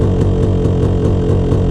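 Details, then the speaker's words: Yamaha YZ250 two-stroke dirt bike at low RPM/idle: a slow rising-and-falling pulse about five times a second over a deep burble, a wallowing idle from a too-lean pilot jet. "So, uh, symptom number three is when the engine is wallowing at low RPM or idle. So, it kind of sounds like"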